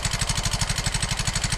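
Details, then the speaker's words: Yamaha X-Ride 125 scooter, fairly new, idling with a sharp fast metallic tek-tek ticking from the cylinder head; the cam chain is very slack, tensioner suspected. "Oke, yang pertama terlihat bahwa rantai keteng ini sangat kendor. Terlihat jelas bahwa rantai keteng ini sangat kendor."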